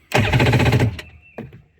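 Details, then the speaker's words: Yamaha GP1200 two-stroke WaveRunner that had no start and no display, cranking after the security code (ABCA) was re-entered following a brief disconnect of the blue wire; under a second of quick, even starter chatter, no clicks or drag; normal cranking. "And it allowed it to turn over again."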